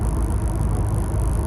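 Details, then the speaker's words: Renault Clio turbo track car on first drive after bigger Sytec fuel pump, custom 2" boost pipes, big exhaust and bigger intercooler, before mapping: smooth low engine drone, no flutter, whistle or knock; good temperature, holding boost fine, running normally. "Just on a first drive, and seems to be alright. Golden temperature, everything feels fine, it's holding boost fine."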